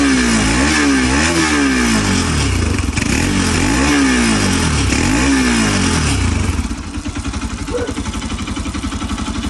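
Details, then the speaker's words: Bajaj Pulsar RS200/NS200 motorcycle after timing (distribución) repair for noise and no-start with no compression; blips up and falls back cleanly, settles to even idle without ticking or rattle, healthy. "Ahí está, amigos, sin ruidos raros. O díganme ustedes cómo la escuchan."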